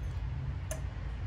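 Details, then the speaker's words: Prius electric power steering unit on the bench for a Willys CJ2A with Toyota steering box: one soft sharp click in a quiet room as an ignition-on wire is connected, the unit's relay switching on normally before assist engages. "this is like an ignition on wire here it clicked did you hear a click here listen"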